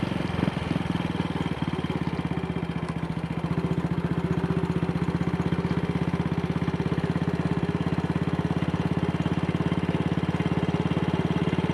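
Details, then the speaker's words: Single-cylinder motorcycle test ride after repairing the Wassell Evolution (Amal Concentric Mk1 type) carburettor's twisted, dislodged needle clip that caused rich running, black plug and misfires; steady even low-rev thumping with no misses, now running well. "Running nicely at low revs. Something that she was not doing yesterday."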